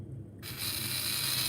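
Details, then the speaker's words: Small slot-car motor spun with the wheels running: a steady, smooth, even high whir with no rattle or catch; purring and healthy. "i want to show you with the wheels running that thing is purring tell me that's not purring somebody just tell me it doesn't sound beautiful"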